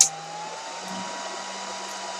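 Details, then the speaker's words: Dell PowerEdge 2950 with resistor-modified fans: the fans dropped to about 1600 RPM and triggered an RPM error. Loud, steady rushing whoosh with a constant hum underneath, no surging. Fans at full speed from the low fan RPM error. "See? So even modified, that's quite loud. With unmodified fans, that screams."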